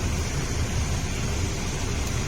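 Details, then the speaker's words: Isuzu D-Max four-door, A/C not cold, engine running about 7 minutes, cabin temperature falling from 37: steady, strong rush of air with a low even hum, no rattles or squeals; normal, healthy cabin blower airflow. "ก็อาจลมค่อนข้างแรงมากครับได้ยินน่าจะได้ยินเสียงพัดลมนะเพราะว่าพี่แม็คขึ้นนี้ลมแรงจริงๆครับ"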